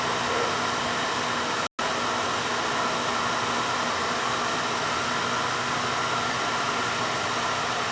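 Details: Beckett oil burner that had been tripping its safety control and would not fire, earlier spitting and sputtering: now a steady, even roar of fan and flame with no pulsing, sputtering or cut-outs; the burner is firing smoothly.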